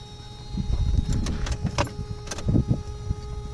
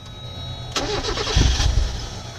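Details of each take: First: 1990-1997 Mazda Miata with new Deatschwerks 255 lph fuel pump, key-on prime without cranking: steady fairly high electric whine with a few light knocks, said to be quiet like stock; normal fuel pump prime. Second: 1994 Mazda Miata 1.8 with fuel pump harness unplugged to purge fuel pressure before pump replacement: engine catches, runs rough about a second, then sags and dies; stalling from fuel starvation, done deliberately.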